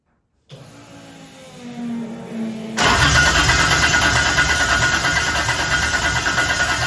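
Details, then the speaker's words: 2JZ-swapped Toyota Celica after fixing a backwards-wired crank position sensor, started with fuel poured in; two seconds of cranking with rising starter whine, catches into a rough roar but won't keep running, starter sticking. "injectors I'll try that [Music] again it wants to run the starter sticking though"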